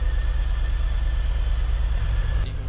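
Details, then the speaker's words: BMW E46 330Ci Clubsport, M54 engine, off the road 7 years, first start after MAF plugged in and codes cleared: low idle with uneven beat and irregular dips in exhaust pulses; heavy misfire, MAF reading zero. "I think a low voltage to that EWS immobiliser will stop it from starting. It's definitely misfiring."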